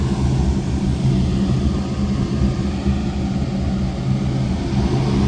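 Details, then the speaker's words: Atwood/Dometic RV furnace after replacing the control board and sail switch: ignites quickly, then a smooth steady blower and burner rumble with no clicks or rattles; running normally. "there we go there we go it's lit that Lit fast wow it's exactly what you want to hear"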